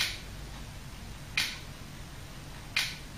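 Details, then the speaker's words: HELLA cruise control retrofitted to a Mk3 Ford Cortina, holding a set speed with slight drift: sharp single clicks about every 1.5 seconds over a quiet background as the valve pulses the bellows to bring speed back; normal operation. "it'll be a little bit of drift on even on my kit you can hear that it's slowly back in the speed off you hear the clicks"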